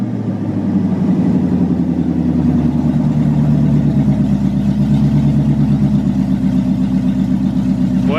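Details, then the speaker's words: 1985 Corvette C4 V8 after Edelbrock AVS2 carburetor swap, idle mixture tuned to about 23 inHg vacuum, vacuum advance distributor connected: strong even burble, crisp blips that pick up and settle quickly, shakes the car; healthy V8 idle and revving. "And as you guys heard, once I hooked up the vacuum advanced distributor, this thing's pretty responsive. I mean, it it shakes the whole car when when you step on it"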